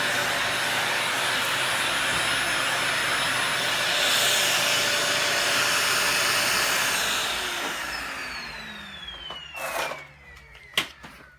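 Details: Dyson DC40 upright vacuum, after hose repair: steady high-pitched motor roar with strong airflow hiss until switch-off; really good suction.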